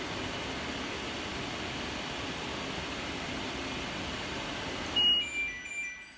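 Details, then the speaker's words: New replacement dryer fan for an LG F1496AD5 washer dryer, bench-tested before installation: a smooth, even airy whoosh for about five seconds, then it cuts off and spins down; it spins nice and freely, as it should. "So you got the replacement one. That's how it should spin, nice and freely."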